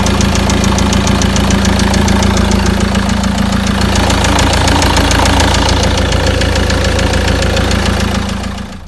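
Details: Cold-start knock on a Peugeot Boxer 2.2 turbo diesel: hard, steady knock about three times a second over a rough cold idle; owner suspects a worn component pressed by hand, cause unconfirmed.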